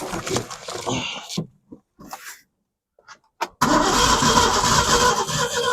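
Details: 1965 Ford Mustang with 260 V8, project car being revived: starter churns in steady fast bursts with pauses between tries but never catches; no fuel reaching the carb from the fuel pump.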